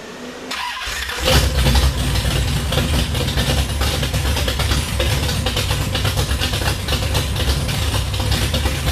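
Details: 1966 Plymouth Belvedere I restomod, 440RB with aluminum heads, 295 degree cam, tall dual-plane intake, tube headers, 537hp; first run after the build: loud, choppy, loping idle around 1500 rpm dropping to about 800, like a washing machine with a bad belt; normal lumpy cam idle.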